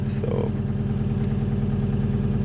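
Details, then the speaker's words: 1995 Acura TL at idle shortly after a slow cold start on a cold day, power steering warming up; rapid steady puffing throb at each firing, exhaust noise the owner finds annoying, sounds like an exhaust leak (unconfirmed). "that noise you're hearing is the exhaust that's what's kind of annoying"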